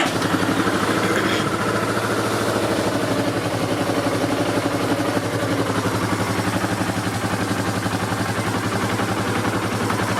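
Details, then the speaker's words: Yamaha Terrapro small engine running with a fast knocking clunk when the PTO is engaged, from a worn PTO bearing with a lot of play. "It's just when you engage the PTO, you hear it clunk, clunk, clunk, clunk, clunk, clunk. And that bearing has a lot of play."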